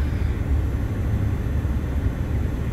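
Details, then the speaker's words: 2014 Ford F-150 XLT 3.5L with the head unit removed; blower motor is stuck on high, giving a constant, unchanging low roar of air that never steps down. "all right so i've got a 2014 ford f-150 xlt i think this is the king ranch edition and the complaint here is that the blower motor is stuck on high"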